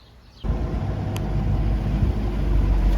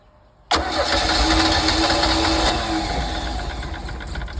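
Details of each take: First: 1982 Sea Ray boat running after a new water pump was installed: engine catches and settles into a deep, steady rumble without stumbling or knocking. Temp gauge stays in the middle, so it runs healthy. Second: 1982 Sea Ray boat engine with water hooked up, cranked after starter spray: steady fast starter churn about four beats a second, never catches; no fuel coming through the fuel line.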